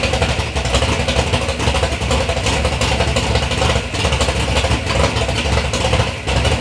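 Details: 3rd-gen Camaro big-block Chevy V8, first start after years of building: deep, lumpy burble pulling up cleanly through light revs with no knocks, ticks or misses; normal engine revving, sounds healthy.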